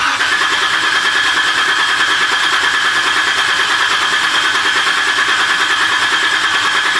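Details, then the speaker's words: Jeep engine after seven months apart with heads replaced, cranked with the fuel pump fuse out to build oil pressure before first start: steady starter whirr and even cranking rhythm with no firing. "Alright, I'm going to crank it here without the fuel pump fuse in. We're going to get some oil pressure."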